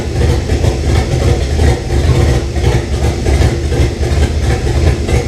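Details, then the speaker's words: 1998 Jeep Cherokee XJ with swapped 2005 5.3 LM7 V8, first start, open exhaust, O2 sensors not connected: deep lumpy unsteady idle, rough idle; owner suspects a vacuum leak, not confirmed. "that other thing runs I didn't run that great but there's no two sensors hooked up and open exhaust and a few things and I'm sure there's a vacuum leak or something somewhere"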